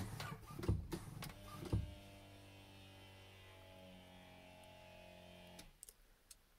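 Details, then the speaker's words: 32-year-old Jaguar XJ-S V12, Teves ABS, ignition on: the electric pump starts after about three brake pedal presses, hums about four seconds and stops. Early cycling shows the hydraulic accumulator has lost its gas charge. "i've already read on jaguar forum dot co that if the if the pump starts running after a couple of presses then there's there's nothing in the accumulator basically or no the accumulator is full of fluid but there's no gas there's no pressure"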